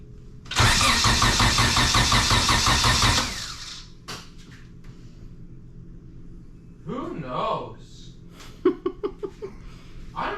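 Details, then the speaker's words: 97-ish Acura Integra GSR, unknown build: about three seconds of steady cranking at roughly three beats a second that never catches; no spark, confirmed with a known-good plug, traced to a bad ignition coil. "so we have no spark i just confirmed that by putting a little spark plug in there that i know is good"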